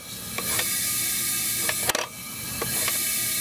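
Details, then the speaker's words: 2008 Hummer H3 misfire diagnosis, leak-down test on cylinder 4 near compression stroke: steady high air hiss with brief puffs and clicks as pressure builds in the intake, suggesting a leaking intake valve; suspected, not confirmed. "You hear the pressure building up. If that doesn't tell you the air is going into the intake, right?"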